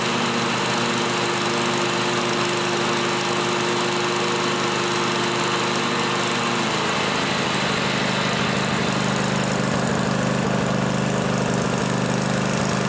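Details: John Deere L-Series lawn tractor running after a deck spindle replacement, a constant rough whirring hum over the steady engine: both deck belt-guide idler pulley bearings are worn and need replacing.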